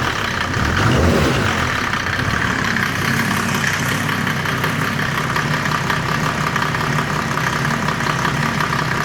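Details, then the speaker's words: Land Rover 110 build, diesel's first run after fitting custom radiator and intercooler: idles and revs cleanly under a steady whistling intake hiss, no knocks or misses; engine sounds healthy. "Try the throttle from inside. I've never done this before. Oh yeah, that sounds good."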